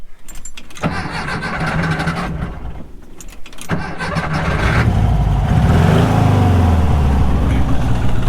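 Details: 1968 VW Beetle after brakes bled and a loose battery cable found: catches after a short crank, then settles into a steady even idle with a few blips; the old engine starts and runs fine.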